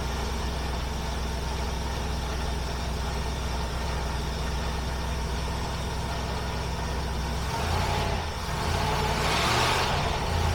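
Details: 1976 Mercury back running, ignition already set up, replacement gaskets still on order: even, smooth low idle with a steady rumble, no stumbling, and a brief blip near the end.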